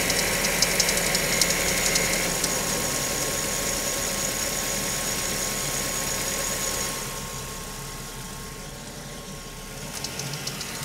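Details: Mazda5 at cold idle after start-up: fast, fairly even light ticking like marbles, about four per second, that goes away after a few minutes. It happens intermittently, not every day; the dealership drained the oil and could find no fault. Cause unknown.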